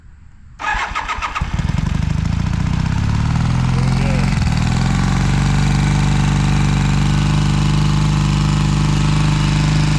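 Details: 1982 Honda CB450SC Nighthawk twin, cold start with choke, modified Magna pipes replacing backfiring shorty exhaust: catches within a second and settles into a steady, even low idle with no misses or knocks; healthy.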